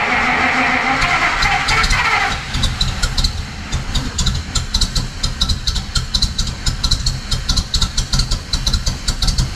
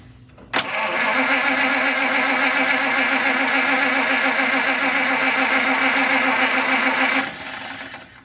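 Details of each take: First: 1950 Pontiac Chieftain, 249 cu in L-head Silver Streak straight-8, after long storage, valves cleaned and fuel shut off, started with starter fluid; catches and settles into a steady, even idle with light ticking, no misses: normal idle. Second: 1950 Pontiac Chieftain, 249 cu in L-head Silver Streak straight-8, after long storage, pump inlet line primed; starter spins steadily three or four beats a second for six seconds without catching, no fuel from outlet: no-start, failed fuel pump.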